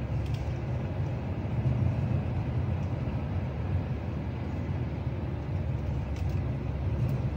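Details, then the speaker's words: 2024 Kia Sportage Hybrid, engine noise when accelerating, e.g. uphill; absent in EV mode and stops when easing off gas: heavy steady low drone and rumble under load, no clear knock; owner finds it annoying, cause unknown. "See, it goes away when I stop accelerating. It comes back. As soon as it needs more gas, it comes back."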